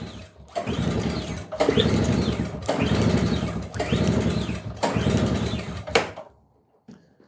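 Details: Curbside-found Craftsman 5.0 hp two-stroke snowblower, compression test with gauge in plug hole: five slow recoil pulls, each a rasping chuff with no firing, spinning freely with even compression; reads about 100 psi, deemed enough to run.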